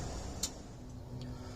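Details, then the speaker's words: Bobcat 763 skid steer with lap bar down, engine running: sharp relay clicks about a second apart as the seat bar light flickers on and off, from a faulty seat bar controller; new sensor hadn't fixed it. "You hear the clicking? See, so now it's clicking on and off. And when it does that, you can see the light turn on and off."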